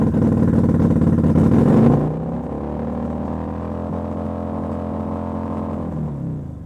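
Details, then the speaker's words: Kawasaki VN800 bobber, low-rev misfire on one cylinder after likely fixing a carb boot vacuum leak: revs drop from a blip to a lumpy low idle with an uneven stumbling beat; runs fine above 4,000–5,000 rpm; misfire cause still unknown. "So it is still missing, but I think we have sorted out that vacuum leak."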